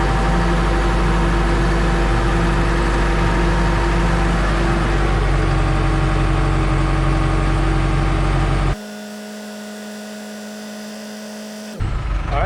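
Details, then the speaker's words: New Holland TS100 tractor diesel after fuel filter change: runs at a steady, slightly uneven idle, then dies after about a minute, leaving the quiet whine of the electric fuel pump; air in the fuel system needs bleeding. "Okay, so you heard it, the machine started up and then it died after running for a minute or so."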